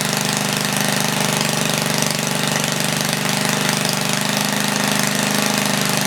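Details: 1976 Tilly rototiller, 3hp Briggs & Stratton with points, revived after years not running; main jet leaned, points cleaned. Loud fast buzzing held steady at 3400 rpm, slight flutter, no load; normal running.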